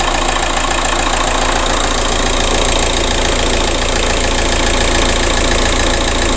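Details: 2007 VW Caddy 1.9 TDI 105hp BLS diesel idling after replacing alternator pulley and auxiliary belt/tensioner that had squealed and lost charging: even clatter, three or four pulses a second, no belt squeal or chirp; runs perfectly fine.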